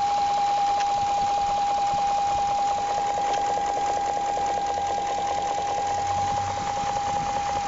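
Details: 2001 BMW 740iL (E38) at idle: light, regular tapping about two or three per second under a steady whine, not audible from inside, car runs fine; quiet knock of unknown origin.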